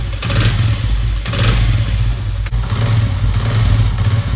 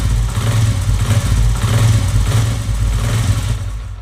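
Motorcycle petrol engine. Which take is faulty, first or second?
second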